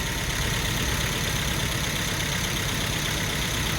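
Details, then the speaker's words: Hemi 5.7 with MDS, first start after reassembly, run only briefly with no coolant in the engine. Even, steady V8 idle with a smooth rumble and no ticking or knocking; runs and sounds good. "get there running pretty good runs good sounds good and this is trying to let it settle down a little bit"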